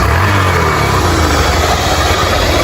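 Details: Single-cylinder motorcycle after compression was raised: the thump settles into a steady, even idle with no knocks or misses; running healthy.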